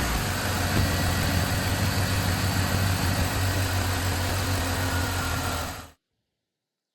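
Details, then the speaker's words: 2005 BMW 325xi, M54 engine, automatic, started after replacing oil filter housing gasket and VANOS oil line; smooth, even idle with steady low hum, no ticking or misfire, oil pressure light off about 3 seconds after start; normal idle. "The oil pressure light turned off as soon as the engine started, about 3 seconds after startup, so that's good."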